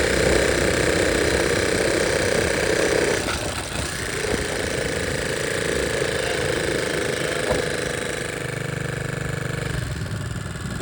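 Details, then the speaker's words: 1961 Honda 50 Super Cub, 50cc single, rebuilt from engine in pieces in a crate, running with no battery and electrical still unfinished; it ticks over with a steady, even putter, no knocks or rattles, back in the land of the living and sounding pretty good. "so you can see that it's back in the land of the living and sounds pretty good"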